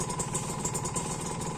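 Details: Kawasaki Ninja RR two-stroke, engine at time of purchase: crisp quick idle with an even rattly beat, no knocks or odd noises; healthy clean-running engine.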